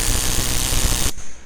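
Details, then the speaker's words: Yamaha XSR900 pressing the start button with a weak battery. Rapid harsh machine-gun chatter from the starter relay, which lacks the power to close its contacts; charging or replacing the battery should let it start. "qué es lo que pasa que si la batería no tiene mucha fuerza por lo que pasa que el relé no tiene fuerza para poder para poder poner en contacto estos dos bornes y lo que suena es esto fijaos escuchad"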